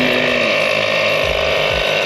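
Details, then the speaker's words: Ford Bronco ARB air compressor with replacement control unit, switched on to air up tires: steady high-pitched motor buzz with even whir, no knocks or rattles; compressor running normally. "I'm going to switch right here for mine and so now you can hear it on we're going to open this valve uh to let air pass through the system"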